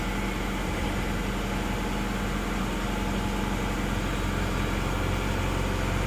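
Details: Isuzu Panther diesel just rebuilt with new liners, first start, still cold: steady clatter at an even idle, no knocks or misfires standing out. Running cold but healthy.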